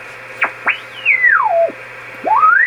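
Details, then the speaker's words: Heathkit Apache TX-1 vintage AM transmitter, first power-up before recapping, in transmit mode on 20 m heard on receiver at 14.250: whistle swoops as VFO dial swept, dial about 25 kHz off; VFO and mixer working. "Okay, the dial's about 25 kilocycles off. So it sounds like our mixing scheme is working also."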